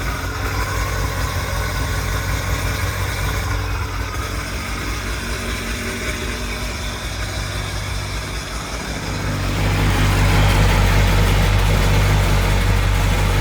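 Steady buzzing two-stroke idle, then a smooth swell as the throttle opens around nine seconds; engine runs clean and even.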